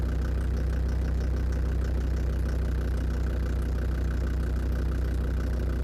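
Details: Land Rover Defender TD5 diesel at steady idle, with the mic at the snorkel air intake. A low, fairly regular top-end knock occurs about three times a second. It was noticed after radiator work; the most likely suspect is faulty hydraulic lifters, unconfirmed.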